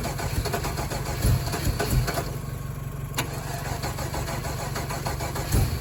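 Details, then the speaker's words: Truck being dug out and revived after sitting, cranking steadily with the engine churning but never catching, broken by a few sharp backfire pops; cranks with backfire, no start. Fuel pump heard priming, fuel pressure unconfirmed. "That was a hell of a backfire."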